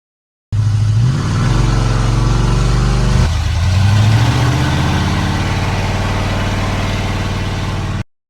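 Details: 32-year-old Ford F-150 V8, sat 10+ years, warmed up at 6 am before pulling spark plugs found black and sooty: deep burble at fast, slightly uneven idle with brief rise and settle; running rich, high rough idle.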